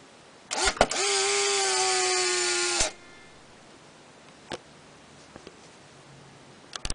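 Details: Polaroid SX-70 camera fired with a spent film cartridge: sharp click, steady motor whir for about two seconds stopping cleanly, then a click as the shutter resets; normal firing cycle.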